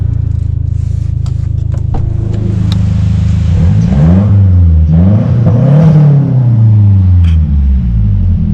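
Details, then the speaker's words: 2009 Mazdaspeed3 turbo trade-in, engine running parked, revved for an exhaust listen: strong, even exhaust note through clean revs with an HKS blow-off valve audible, no misses or rattles, exhaust and turbo healthy. "you definitely can hear that blow-off valve on an arrow from HKS sounds freakin great and I love the exhaust"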